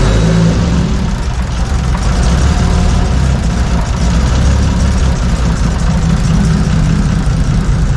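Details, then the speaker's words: 2JZ six-cylinder after warped intake manifold was welded and fresh plugs fitted: low, steady idle around 500 rpm with a fairly even beat, running noticeably better, possibly drive-by-wire still learning idle; improved idle. "Well, that sounded much better. That did sound, that almost sounded like an actual 2JZ there and not a 0.3 JZ."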